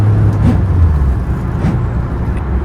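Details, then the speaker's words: 5th Gen Honda Civic EG hatch, D-Series, after swap to a used 6th Gen transmission: strong engine pull on the road with a brief drone dip as it shifts cleanly into second, no grind; normal gear shift under acceleration. "I think that's the first time I've ever done that. You know, shifting a second without having to you know, do all that."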